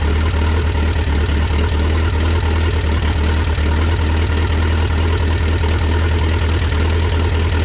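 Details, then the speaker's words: Cold start at about 40–45°F of a freshly rebuilt Mitsubishi 4D55T diesel in a Dodge Raider/Montero swap, heavy glow plug use: low uneven stumbling idle, slight misfire from air in the fuel lines due to leaking injectors (especially two and three), white smoke. "so there you have it that's a cold start it actually started pretty easy but you can see it's still misfiring a little bit because it's cold it has a little bit of air in the line but it's good enough to drive"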